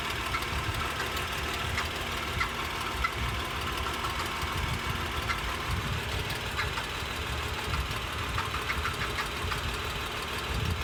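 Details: 2011 Acura MDX engine idling with a constant light metallic rattle ticking over its steady low hum.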